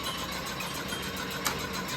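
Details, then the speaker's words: New, still-under-guarantee shed fan, blades refitted after storm damage: steady rushing whoosh with a faint pulsing beat and one brief sharp rattle; the fan runs rough and noisy, cause not confirmed. "देखो यह आवाज कर रहा है ये तूफान और बारिश आई थी ना तो इसलिए ऐसा इसका तोड़ दिया था सब फैन को तो वापस उसमें य पाखिया बाखिया लगाया है और फैन तो नया है गारंटी वाला लेकिन आवाज कर रहा है"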